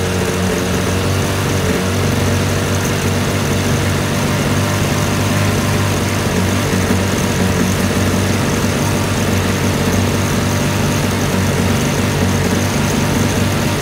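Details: 1980 Sea King (Chrysler) 15 hp two-stroke outboard, slow acceleration: loud low drone turns uneven and lumpy as top cylinder misfires at quarter throttle, recovering mid to full; condensers replaced, coil swap identified faulty ignition coil.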